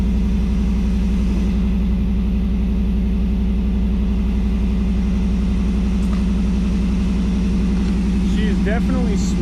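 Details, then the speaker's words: 1989 Firebird Formula, tired 350 V8 with newly fitted Hooker headers, mid pipe and Y-pipe, air cleaner off, just started: steady, lumpy idle with an even low burble, no misfires or ticking. Running healthy after the header install. "So, after all, it is a pretty tired 350, but she runs pretty good as you can see. Real loud because I got the air cleaner up."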